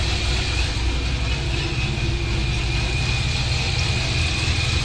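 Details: 2006 Corvette Z06 V8, warmed up after a cold start, recorded before a new cam is installed: deep, steady idle with a slightly choppy cam lope and faint supercharger whine, no ticks or knocks; healthy warm idle.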